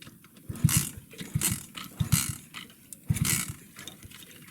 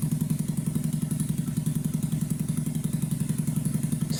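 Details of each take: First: 2009 Skyteam Bad Boy 50cc four-stroke single, carb cleaned, good air filter, but not running, idling or starting right. Uneven stumbling bursts, catching then dying, no steady idle; air leaking at the inlet manifold. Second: 2009 Skyteam Bad Boy 50cc four-stroke single after an oil change, vacuum leak fixed and idle raised. Steady, even putt-putt of about 220 beats a minute, constant sound, no misses or hunting; clean, healthy idle.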